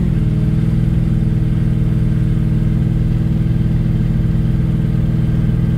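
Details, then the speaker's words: Test drive after fitting a 3.46 M80 Torque-locker differential: steady, even drive drone with no whine or howl rising with road speed, no noises heard; normal, healthy differential. "what do you think doesn't seem to be noise"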